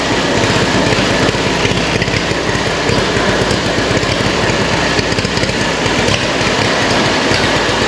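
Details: Allis-Chalmers WC tractor, year unknown, carburetor needing cleaning, exhaust manifold rusted through, suspected intake pinholes, started out of gear: loud, uneven chuffing idle with ragged, irregular firing; running rough.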